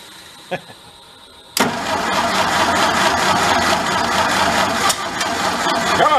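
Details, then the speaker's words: Vintage large sprinkler-blowout air compressor engine that stalls under load when building pressure, after tune-up, choke barely closing, hand over intake: brief crank, then catches and runs loud and uneven, labouring on too much choke before choke is reduced. "Get rid of some of that choke, maybe it doesn't need it. We're off to a start, aren't we?"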